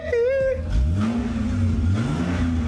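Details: MK3 Supra after draining diesel mistakenly filled into the tank, still smoking a little blue smoke; picks up cleanly on two revs and settles back with no misfire or stumble. Normal revving after fuel cleanout.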